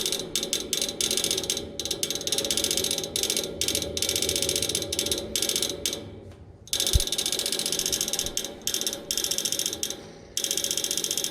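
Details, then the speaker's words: Outdoor AC unit with fan not running, after fan motor replaced: fast loud ratcheting clicks in bursts, like trying to crank; fan never starts, noise stops once it runs, source inside unit unclear. "it's like it's trying to crank on something [Music] but it will not turn on"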